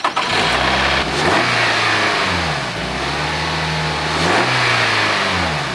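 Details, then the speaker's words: Engine cold-started after sitting overnight, heard at the front: a dry metallic clatter over the idle for a few seconds at startup from the timing chain, not that bad. "hear that the dunker the dunker that's the timing chain and actually it's not that bad it's just starting up"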